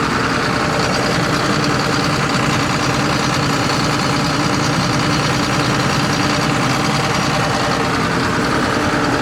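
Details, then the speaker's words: John Deere 9600 combine diesel, cold start with 37E fuel temperature sensor code and some blue smoke: rough lumpy idle with one cylinder dropping out; dead cylinder, later traced to a completely worn injector on the test stand. "So, we're definitely missing one cylinder."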